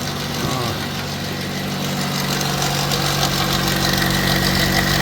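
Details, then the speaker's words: 2005 Pontiac Vibe 1.8, probably about 250,000 original miles: rapid regular ticking rattle at idle, about three per second, persisting with all accessory belts off, so it comes from the timing chain area; suspected loose chain guide or broken tensioner, unconfirmed. "What we got with all the belts off, it was still making the sound. So probably got a guide loose, broken tensioner or something."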